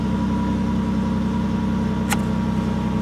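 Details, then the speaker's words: 2007 Chevy Impala, engine running with heat on after replacing the driver side heat door actuator: steady idle and fan hum with no clicking or ticking from behind the dash; the new actuator runs quiet. "turn the heat off no noise baby that's what I'm talking about"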